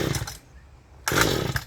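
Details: Mantis tiller recoil pull-start with choke on and gas added directly: two short rasping pulls with no catch or firing. No-start, video traces it to the carburettor fuel-pump diaphragm; owner also suspects weak spark or coil.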